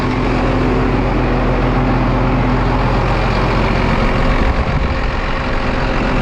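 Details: Rebuilt rollover John Deere 8300 tractor idling during a leak check after a copper ether line was fitted to the intake. The big diesel runs steadily with a deep, consistent rumble and no knocks or misses. Normal, healthy running.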